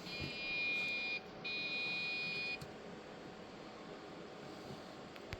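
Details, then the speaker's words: Old floppy-era PC being tried for Windows 95: two long steady high beeps of about a second each, no display; repeating POST beeps, RAM suspected after a module was not seated fully, not confirmed. "But it's beeping. I think that's RAM. Nothing ever comes up either."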